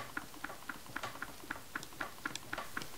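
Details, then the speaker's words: Skateboard truck after coating the pivot-cup bushing and all squeaky spots with wax and reassembling: light even clacks about twice a second as the truck is rocked, with no squeal or creak. "As you can hear, there are absolutely no squeaks or any noise coming from"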